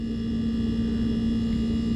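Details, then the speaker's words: Sub-Zero refrigerator never serviced, showing excessive compressor run error codes: steady compressor hum with a strong low tone and no fan whoosh; compressor and condenser extremely hot because the condenser fan motor isn't running. "compressor super hot condenser is ridiculously hot we got that error code that this was running for too long and it's overheating and I can see right now that the condenser fan motor is not operating"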